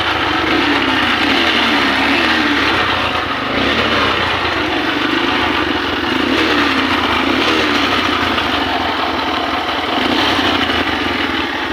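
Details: Honda CB125 converted to a 4-pin CDI after the original ignition was faulty and was wired direct. The single-cylinder engine runs steadily with an even beat and no misses or knocking.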